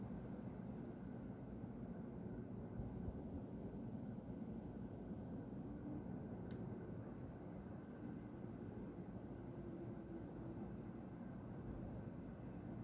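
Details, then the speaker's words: Continuous distant low industrial roar with no rhythm or pitch change, heard past midnight on 30 June 2020 from the industry beside the recorder's home; owner suspects a compressor being emptied, with white smoke rising near a tower; source unconfirmed. "Eu já havia reparado esse barulho, mas eu nunca parei para observar de onde que é. Então, pode ser uma coisa que dura pouco tempo, pode ser uma coisa que vai durar mais tempo."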